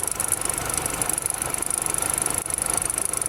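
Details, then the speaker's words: 2010 Chevrolet Equinox at idle, previously found with oil bone dry and topped up with 3 quarts; faint irregular light clicking over a steady idle, coming from near but not from the coil pack, then stopping; cause unclear. "a noise coming from there, but not from the coil pack. You hear it click."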